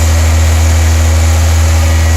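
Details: 1993–97 Toyota Corolla/Geo Prizm wagon after radiator replacement, idling while the coolant is bled, warm with the fans cycling and the heat on: a steady, smooth, low drone with no stumbles or knocks. A normal idle with no overheating.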